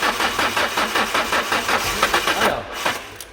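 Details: Alfa Romeo that won't start: starter turns the engine over in an even rapid churn, about four beats a second, never catches or fires; owner is checking fuel pump versus ignition.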